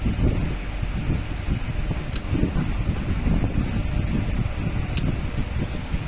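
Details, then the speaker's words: Table fan, brought in dead, running after its wire was rejoined; smooth, steady low whoosh, even, no rattles or hum changes. Normal running after repair. "দেখে নাও, fan একদম ওকে, শুধু switch লাগালে complete."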